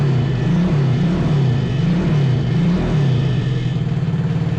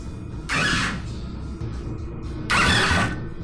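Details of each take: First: 125cc drift trike single-cylinder after fixing a no-spark fault from loose grounds and messy wiring: catches and runs with a steady, even thump about three beats a second, revs a little, then cuts off; running normally. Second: 125cc drift trike with fried, loosely wired harness after fixing ground connection; two short whirring cranking bursts, never fires; spark plug check confirms no spark. Cranks but no start.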